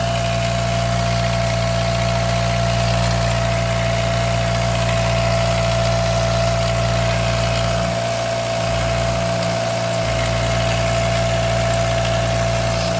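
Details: Daihatsu Mira turbo engine at idle after adding Prolube to quiet the lifters: a steady, even idle with a smooth low hum and no obvious lifter tapping; a little blow-by is suspected.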